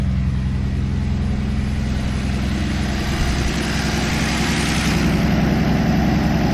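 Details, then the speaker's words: 1964 Plymouth Belvedere slant six with Holley two-barrel carburetor, 3-on-the-tree, revived after decades in a barn, new coil wire: steady, even low idle with smooth regular beat, no misses or knocks; normal idle. "just runs so good I had heard those Holly two barrels were junk but it just runs perfect couldn't ask for"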